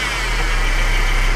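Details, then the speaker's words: Mercedes engine running, revved: thin, high, annoying whine from the top end that grows louder as it warms, sounding internal; gone with serpentine belt removed, traced to a worn idler pulley bearing. "okay you're going to hear it it will sound like really annoying your sounding coming from the top end here guys it almost sounds like a something is bad inside the engine"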